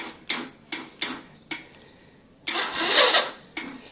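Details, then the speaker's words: Lexmoto Valiant, stalled while warming up; short choppy cranking bursts then longer crank that won't catch, battery very low, charging to be checked: hard starting after stalling. "Saw me do the walk of shame there. It died. Very low on battery."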